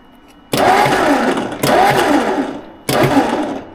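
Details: 1958 Ford Fairlane bought sight unseen at auction, last run unknown, on a jump box while the ignition points are checked: three cranking bursts about a second each, with even churning and no firing. Cranks but won't start, with crudded points suspected.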